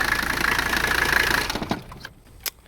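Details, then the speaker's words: Abandoned Mercedes 300CD diesel, started after glow plug wait: rough idle with heavy knocking over the clatter before dying; exhaust mostly gone, owner suspects that or a stuck valve; cause unclear. "uh not sure why she's knocking i know the exhaust is basically gone that's probably it uh or something's horribly wrong in there who knows for all i know one of the valves is stuck and we just destroyed it"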